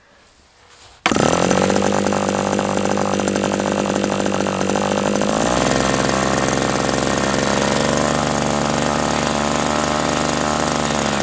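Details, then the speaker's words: OS 120 AX model engine, hand-started on a test stand during a break-in run at about 63°F: catches at once and settles into a high, steady buzz, with one pitch step; normal run. "Okay, so this is just a fantastic engine."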